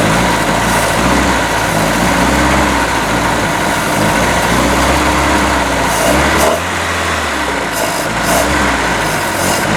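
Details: Boat engine on water-supplied earmuffs after a new manifold was fitted, run about 10 minutes. Loud, uneven running with wandering pulses; rough idle from off ignition timing and a carburetor needing rebuild, with the oil still free of water.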